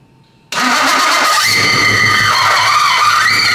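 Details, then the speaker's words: Fully built high-compression BMW M54 six-cylinder, first start attempt: harsh, high metallic grind starts with cranking and continues as the engine catches; starter not disengaging, sparks seen underneath. "The starter is not disengaging. There was like some sparks that flew underneath and there's something happened on the bottom end."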